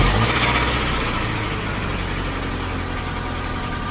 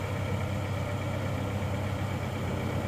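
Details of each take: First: Suzuki Escudo petrol engine, cold morning start before rebuild, had once run out of coolant, scored cylinders, rings replaced without honing: fires and settles into a steady, slightly uneven idle while blowing white smoke from oil creeping up and burning. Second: Suzuki Escudo engine after rebuild with machined cylinders and new ring set, previously smoking from worn scored cylinders: smooth, low, even idle hum with a steady beat and no knocking or rattles; smoke now clean, engine runs cleanly.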